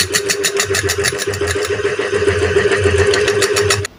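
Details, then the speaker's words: Ceiling fan is quiet when spun by hand but gives rapid uneven clacking, about 3–4 knocks a second, over the hum and shakes on line power. Coil, 6202/6201 bearings and capacitor are okay, but the bearings sit loose; worn motor shaft. "হচ্ছে কটকট কট কট করে আওয়াজ হচ্ছে কাঁপছে তা সবসময় যে ceiling ফ্যানের আওয়াজ হলে বিয়ারিং চেঞ্জ করতে হবে এরকম কোন ব্যাপার না"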